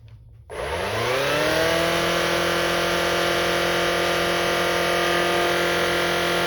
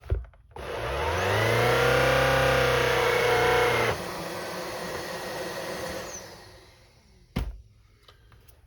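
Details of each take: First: Shark Rocket Pro UZ145 cleaner head that previously spun up then shut off (red light), after clearing debris from the brush roll bearing area: motor spins up within a second to a steady, even whine and holds it; fixed. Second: Shark Rocket Pro UZ145 cleaner head: motor spins up to a steady whir, drops suddenly after three seconds and winds down; hair-jammed brush roll overloading it so it cuts out.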